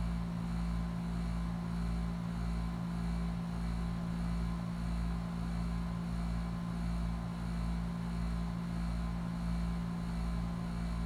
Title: HVAC Sawing/Grinding Sound